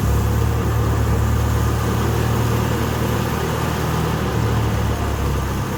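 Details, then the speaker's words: Wisconsin Motors V465D air-cooled V4 from the Teledyne era, a low-hour engine off a concrete saw, cleaned and tuned: a steady low rumble at constant speed, firing evenly with no misses or knocks, running smoothly. "And man, she runs like a top, nice and tight."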